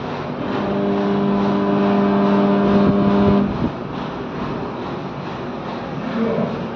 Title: AC Compressor Humming Noise#ac#airconditioner #airconditioning#a2z#@A2ZACPractical